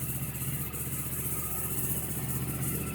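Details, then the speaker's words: 2009 Yamaha R1 four-cylinder after starter relay replacement fixing error code 12 no-start, very cold, sat in garage, started with starter fluid; fast steady even idle beat, no misfire or rattle, normal idle. "Fingers crossed. I hope this works. That sounded different. Yep, it worked. Yay, guys."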